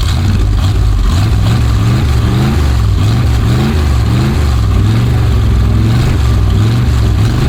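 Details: 1965 Dodge A100 van, V8 sat for years, now on fresh fuel, smoking a bit: deep, steady burble at idle with an even lope, no misses or knocks; normal idle.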